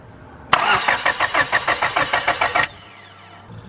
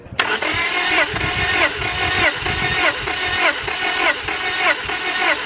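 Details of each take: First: 5th-gen Honda Prelude BB6, cranking with the new fuel pump and good fuel pressure: starter turns the engine about five even pulses a second for two seconds, never fires; no signal was found at the injector connectors. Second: 5th-gen Honda Prelude BB6 with H22 engine, cranking during a compression test: steady even pulses about one and a half per second; compression about 170, higher than the usual 150, so the engine is healthy.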